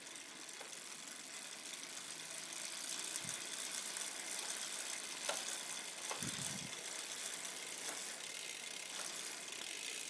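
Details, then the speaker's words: Campagnolo 11-speed road bike drivetrain, somewhat dirty chain, possibly dry lubricant: a dry, hissy chain and cassette buzz with light ticks, loud in the upper gears, with vibration felt through the crank and pedal. "I can feel feel a vibration here in the crank feel it through the petal here I'm shifting up to two you can hear the buzzing"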